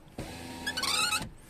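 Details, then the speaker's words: Tesla Model 3 rear power window: motor hums, then a high, wavering squeak partway through glass travel from dry window seal friction, squeaks in rain; fixed by applying silicone lubricant to the seal. "on va répéter l'opération sur la vitre à l'arrière c'est celle ci on entend la qui a un couinement à cet endroit là"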